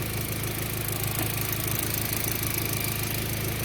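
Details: B5 Passat petrol, factory intercooler, after spliced-in ignition coil pigtails: smooth, even, somewhat loud idle with no missed beats or sputter; former idle misfire cured.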